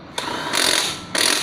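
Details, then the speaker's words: Honda Scoopy (large-wheel model): harsh crackling rattle in short bursts as revs rise, from a loose gap at the magneto flywheel magnet edge; fixed by wedging with cigarette foam and glue. "Jadi suaranya bener-bener kasar. Jadi masalahnya di ini pinggiran magnet ini goyang."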